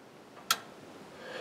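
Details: Speed Queen electronic control board with front panels removed: a single sharp click as the control panel is switched off and the LEDs go out, then only quiet room hiss; normal relay click at power-off.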